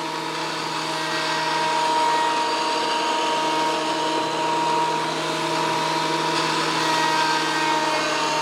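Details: WEN PL1326 15-amp 13-inch spiral benchtop thickness planer after repair of damage from misuse, feeding a small board: loud even roar with steady high tone, no knocks or chatter; cutting smoothly again.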